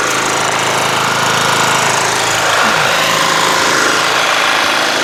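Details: Toro Wheel Horse 1238XL lawn tractor after carburetor replacement, gas tank cleaning and jumping the solenoid: small single-cylinder runs steady and strong with even rapid exhaust beat; started right up, healthy.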